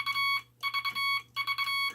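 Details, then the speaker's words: Vibroplex bug with a newly installed dot stabilizer wire bent to preload the dot contact spring a few thousandths of an inch: three short bursts of even, clean high-pitched dots with no stutter; sounds good. "Sounds pretty good."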